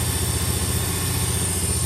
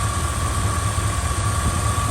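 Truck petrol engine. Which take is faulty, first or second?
first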